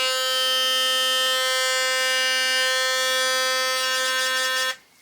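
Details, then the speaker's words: Philips Sonicare toothbrush after reassembly to fix its loose tip: a steady high-pitched buzz with a rattly, chattering edge before cutting off. The head is still not fully tight, pointing to a loose screw or cracked shaft. "And it is, I wouldn't call it 100% tight, but before it was loose like shit. And I mean, you can see the vibration of the brushes, so I guess we are happy."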